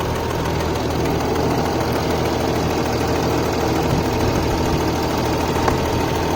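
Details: Mercedes ML350 BlueTec, OM642 turbo diesel, at idle; a light metallic tick over an even diesel clatter that the owner found odd; an independent mechanic said it is a normal noise.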